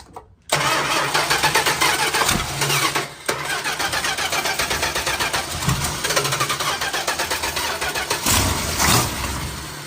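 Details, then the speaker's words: 1972 Plymouth Fury 440 big-block V8, barn find sat about a decade: brief cranking, then catches and runs ragged and surging; owners suspect fuel still gummed up inside. "well we know it starts yeah it's just that the fuel is pretty much gummed up in there still probably yeah"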